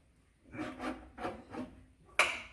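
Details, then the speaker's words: 1954 Chevy, hand-cranked with no combustion: slow turning with squeaky, rasping scrapes on each pull; the badly bent oil pan is hitting the flywheel, and the noise is confirmed as the pan. "so it sounds squeaky though it does what what what is what is The Squeaky from I don't know I honestly do not remember a time when we've ever heard a squeak like that it might be this Pan the pan might be hitting the flywheel cuz it's so bent up now"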